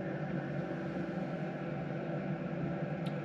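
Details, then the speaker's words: 2KW diesel heater in a VW T6 camper after switch-off: fan still blowing hot air but slowing as it cools the unit, fuel pump stopped so no ticking; steady fan whir and airflow hiss; normal cool-down run-on. "they're still pumping out hot air but it is slower yeah you can hear it here the fan gets slower and the actual pump has stopped as well now"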